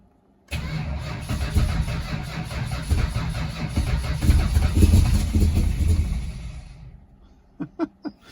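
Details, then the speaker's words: 1969 Dodge Charger 500 barn find, sitting 27 years, new plug wires and thermostat, gravity-fed fuel, on a second battery: uneven cranking swelling with a few ragged firing pulses, nearly running, then dying away; almost catches but does not start. "So close. That sounds like life."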